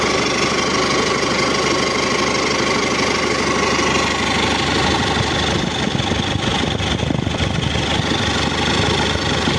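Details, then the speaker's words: Isuzu Elf NLR 55 diesel after rebuild for a broken crankshaft (previous overhaul under a year old), first cold start; starts at once, some white smoke from oil, steady even idle clatter, smooth, no knock; oil pressure to be reset, idle 9 bar. "Alhamdulillah langsung hidup ya Lur ada asam putih maklum Masih dingin dan banyak olinya oli diring piston untuk suara masih halus enggak ada kemleteknya"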